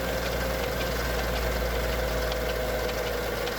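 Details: Mercedes E55 AMG M113K supercharged V8 cold start, after switching to 0W40 oil and 98 fuel: fast, light ticking from the left cylinder bank over steady cold idle, gone after 10–15 minutes warm; owner suspects hydraulic lifters or timing chain.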